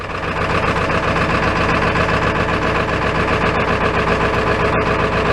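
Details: Ford F-350 XL 7.3L Powerstroke turbo diesel, cold start after very hard starting with throttle held: heavy clatter just above idle with a slightly uneven beat; rough cold running, starts worse than a Dodge.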